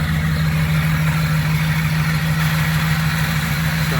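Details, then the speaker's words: 2019 Ram 1500 5.7 V8 eTorque, 51,000 miles, idling after start: steady droning whine like a steering pump over the engine rumble, traced by listening hose to worn tensioner pulley bearing; pulley replaced. "all right guys so i got a little issue with this 5.7 2019 ram making a weird noise every time i turn it on a whining noise truck only has 51 000 miles on it"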